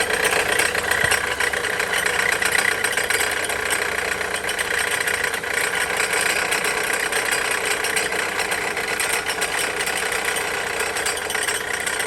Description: Sounds of a bad alternator. Bad alternator on a 2007 Dodge Caliber.